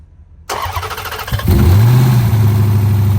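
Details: 2010 Dodge Charger at its first start after replacement of damaged heads, fuel pump primed first, no coolant added yet: the starter whirs briefly, the engine catches and flares, then settles into a smooth, even idle with no knocks, running healthy.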